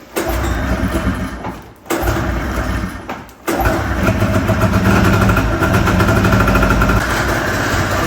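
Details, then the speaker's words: Tornado snowmobile two-stroke after new top end and honed cylinder, run in garage: cranks, dies twice, then runs rough with knocking under throttle, like something impacting; cause unknown. "When I give it throttle, it makes a weird, like, something's impacting something. Really hope you can hear that. I don't like that at all."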